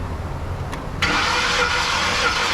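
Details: 2010 Ford F-150 5.4 V8, no-start that the dealer said needed a new engine, during compression test with plugs out: starter spins the engine freely and evenly, fast steady whir; compression good, about 170–180.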